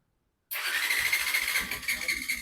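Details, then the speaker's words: Bajaj Pulsar 125 BS6 fuel-injected, hard to start in the morning after about 3000 km. The starter whirs with a high whine and no firing through long self-cranking; low compression from tight inlet valve tappet clearance. "देखिए back network में कितना ज्यादा self ले रहा है।"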